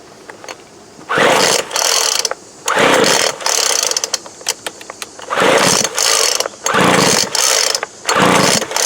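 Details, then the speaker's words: 2007 Sears Craftsman 25cc blower after plug swap: repeated pull-cord zips about every second, spins over but never fires; owner suspects no fuel reaching cylinder, and the plug is found dry. "Make sure we're getting fuel into the cylinder. See if that plug is wet at all."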